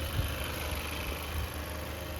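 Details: 2017 Chevy Malibu after water pump replacement: soft, low, steady idle hum with no whine, rumble or bearing growl from engine front; smooth and healthy.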